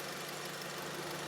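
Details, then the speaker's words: 1999-up Honda Civic, AC fault checked via relay, fuse and bypassed AC switch/pressure sensor; heard from inside, compressor magnetic clutch engaged and fans running, steady whir over idle, no knock or squeal, normal AC compressor operation at idle. "So the AC is working, the fans are running, okay. Magnetic clutch on the compressor, all the way down there, the compressor is running."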